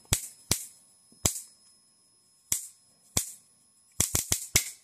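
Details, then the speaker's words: Homemade high-voltage bifilar transformer passing a 110V 60Hz high-current pulse through a spark gap, voltage brought back up: sharp, loud cracks at uneven intervals over a faint hum as the arc kicks with heavy current; cause of the noise unknown. "Oh yeah, see you can hear it kick. Like it's putting a lot of power through that arc every once in a while."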